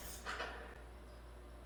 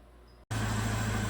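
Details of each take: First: 2009 Chevrolet Malibu Hybrid, 110,000 km, transmission in limp mode, mass airflow sensor disconnected; brief crank, then the engine catches with a loud surge that sags unevenly. Rough running with MAF unplugged. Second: 2009 Chevrolet Malibu Hybrid, 110,000 km, transmission in limp mode; after the mass airflow sensor and induction system are refitted, the engine settles into a steady, even low hum with no stumble or hunting, running much better. Normal idle.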